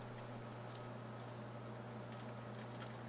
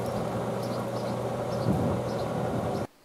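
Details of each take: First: SaluSpa/Bestway inflatable hot tub pump after replacing a broken impeller shaft that caused an E02 error; low steady hum with soft water trickle, even and quiet; normal pump running after repair. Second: SaluSpa/Bestway Lay-Z-Spa inflatable hot tub pump, which gave an E02 error from a broken impeller shaft, running on a bamboo skewer as a temporary shaft. A loud, steady whirring hum with a rough rattle: noisy but working until the replacement impeller arrives.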